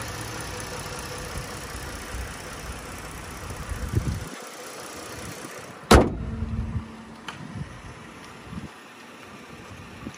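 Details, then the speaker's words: 2012 Ford Taurus Limited V6 idling, heard with hood open: low, smooth, even idle with no ticking or knocking beneath a few handling bumps, sounds healthy. "you can hear that the car is running right now no ticks or any strange noises this is the v6"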